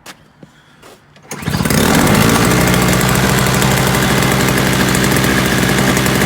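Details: Free roadside Toro single-stage snowblower, missing its primer bulb, with Seafoam added and a possibly cold engine: it goes quiet, then the small two-stroke catches and holds a steady, even fast beat; it runs fine.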